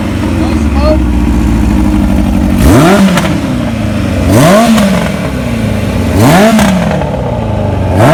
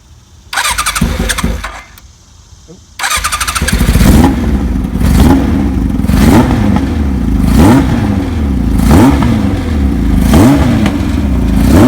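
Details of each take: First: 1981 Kawasaki KZ1000 CSR engine after new oil, plugs and spark advance service, charging system good: crisp, clean four-cylinder revs rising and falling with strong, even pull and no misses; runs normally. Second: 1981 Kawasaki KZ1000J CSR engine, new oil, serviced spark advance, new plugs, test carburetors, no air filters: cold start, repeated throttle blips about every 1.5 s, slightly ragged note; possibly running lean without air filters; uneven running.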